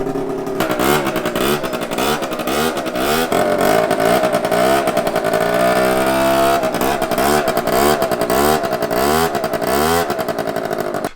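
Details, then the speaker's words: Scooter with a new exhaust, one header bolt and no gasket fitted: raspy, spitting chuff following each throttle blip; large exhaust leak at the header joint. "That's such a big exhaust leak. Doesn't sound dirty. It's fucking loud. Why does it sound so loud?"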